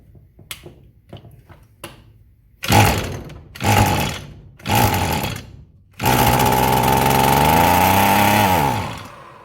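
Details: Roadside-discarded Echo SRM-210 string trimmer, unknown time sitting, fuel added: several pull-start coughs, then a buzzy two-stroke run of about three seconds that fades out; fuel starvation from a deteriorated purge (primer) bulb.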